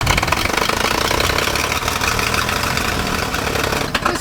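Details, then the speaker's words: Forklift engine with worn-out carburetor and muffler torn off the exhaust: loud, ragged, uneven idle with a harsh raspy unmuffled bark; runs rich, pulling exhaust back toward the intake and fouling the spark plug. "One, this thing runs like crap. Okay, this carburetor and we're probably going to get an exhaust system on that"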